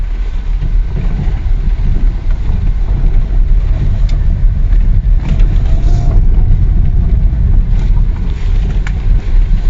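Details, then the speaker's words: Lada Vesta at 72,000 km driven over rough pavement: dull irregular knocks through road rumble, heard both from below and in the electric power steering; steering rack knock. "вот во первых стук идет как снизу так и в электро усилитель"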